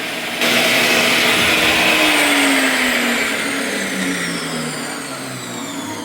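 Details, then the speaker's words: Bosch 4100 table saw after fixing a seizing, noisy motor bearing and fitting new brushes: high smooth motor whine dropping steadily in pitch as it coasts down, no grinding or rattle; normal motor run-down. "works good now"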